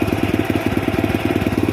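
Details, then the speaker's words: Honda Astrea Prima motorcycle, before carburetor repair, black quickly dying spark plug; idle stalls when lowered and stutters, quick uneven exhaust pulses with small stumbles, rough rich-mixture idle, exhaust shows heavy deposits. "Oke Kang Bro, untuk kondisi pada saat hidup langsamnya itu kalau dikecilin mati, kemudian ada berbetnya juga ya."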